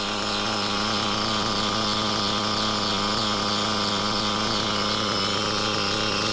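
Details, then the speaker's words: Used REDS R5T Team Edition nitro RC engine runs steadily with a harsh hissing, grating rasp over its high buzz; clutch and clutch bell changed without effect, so the rear crankshaft bearing is suspected failing. "well sadly still making the heing noise I think it's a rear bearing so yeah I have to change your rear bearing"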